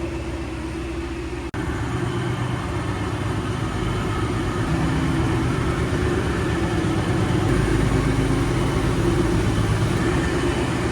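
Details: Supercharged Mustang V8 drag car with a new Fast Forward Race Engines built motor and built transmission, first run in months, at idle. Loud, even idle with a deep steady lope after a brief cut near the start; very loud blower, no knocks or misses, healthy.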